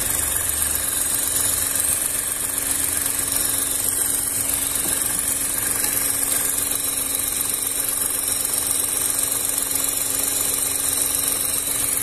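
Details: VW up! TSI, heater core hoses bypassed, warm idle with coolant actually around 97–98°C (dash shows 90): quiet, even idle with soft whoosh of radiator fan switching on slowly; no leaks, normal.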